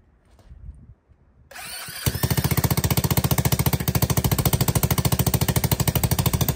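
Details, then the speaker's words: ATK 125 go-kart with a newly fabricated homemade welded muffler: engine catches and settles into a fast, loud, raspy popping idle, barely muffled, sounding the same as before; possibly an exhaust leak, unconfirmed. "a little quieter that sounds the same it might be that exhaust leak that we're hearing so loud"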